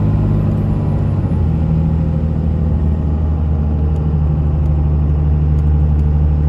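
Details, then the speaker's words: 2001 Dodge Ram 2500 4x4, 5.9 Cummins diesel, automatic, 90k miles, fully serviced, pulling uphill; a deep, steady drone with no flare, surge, hesitation or slipping: normal running under load. "We'll head up the hill so you can hear the Cummins run, as well as the automatic transmission run through the gears. You can hear how it doesn't hesitate, it doesn't shift hard or slip or have any problems at all."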